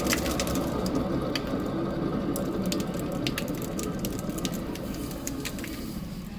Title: Ford Transit lower joint ball and wheel bearing bad noise.